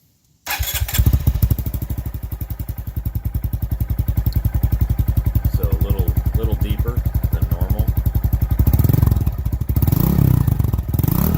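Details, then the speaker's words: 2019 Honda Monkey 125 with Takegawa OEM-style performance exhaust on the stock painted cover, cold start: fires at once and settles into an even, deep thumping idle with a slight rev near the end; healthy, may pop a little. "So if we want to hear this thing, this is a cold start, so I'll just fire it up real quick."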